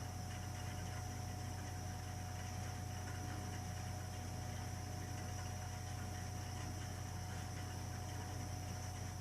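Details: Burnham Alpine ALP150W gas-fired boiler, 3 years old, frequently rumbles when running: steady low rumble, constant hum and faint fast pulsing throughout; abnormal rumbling, cause not yet known.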